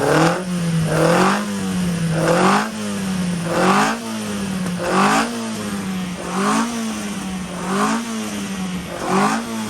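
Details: Ian Carter special Carter998 engine freshly running on dyno, carb just set up, 80 psi oil pressure, distributor untouched: idle surges and sags roughly every 1.5 s, lumpy; timing light shows 55° advance at idle, over-advanced ignition timing.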